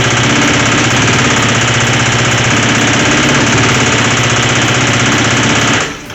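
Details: Motorcycle revived after sitting, first start and idle: loud, busy idle with a fast, uneven metallic knock and rattle about four times a second; source of the rattle unknown; engine knocking rattle.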